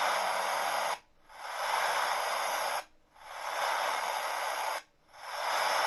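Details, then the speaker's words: Portable radio receiver with no antenna, switched on and tuned: a steady loud hiss with no station, dropping out about every two seconds as it is handled. A broken wire inside the set is suspected. "Можливо там всередині обіваний провід"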